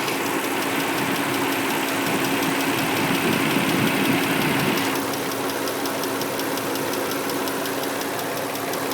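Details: 2003 Nissan Murano engine ticking that just started: sharp, fast, regular ticking, a few per second, steady over an even idle, suggesting top-end tick; CVT, power steering and brake fluids recently changed, Castrol synthetic oil still good, new air filter; cause unknown.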